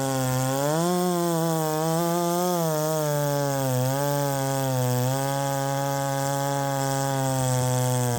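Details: Ported Poulan 3750 chainsaw on a Chinese carb, after the loose exhaust was retightened, tune unchanged: the idle hunts, sagging and wavering every second or so and never settling. Richening seems to load it up; the owner suspects the Chinese carb.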